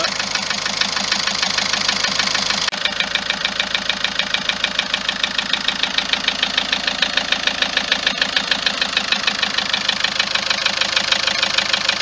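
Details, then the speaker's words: Car that started ticking on this morning's cold start after a trip to Algeria, about four days ago; constant, no vibration: sharp steady metallic ticking at idle, about three per second; owner suspects injectors and tappets, unconfirmed. "الصوت يتكلم منه، الطقطقه هذه يتكلم من هذه، التقربيح هذا يتكلم من جيتي زانجكتر والتكايات."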